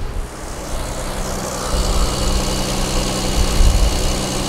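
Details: 2JZ-swapped Nissan 350Z on pump gas with ECUMaster standalone, idling right after trigger timing was advanced to match 10° locked timing (previously reading about 2°): even, steady low drone with no stumble or hunting; engine runs happier.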